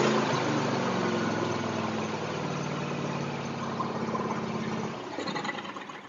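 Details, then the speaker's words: John Deere X324 all-wheel-steer riding mower, previously popping and flooding, likely from water getting into a cracked carburetor float: small single-cylinder engine steady and even at fast idle, no popping or misfire, then winding down; normal running. "That sounds way better. Holy cow, that sounds so much better."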